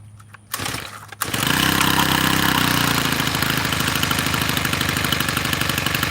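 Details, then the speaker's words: Tiller engine with carburetor mixture screws adjusted: a few pull-cord cranks on choke, then it catches and settles into a fast, steady single-cylinder putter. It starts and runs after trial-and-error carb tuning. "Hey, look, that thing started up, but I totally forgot what to do next."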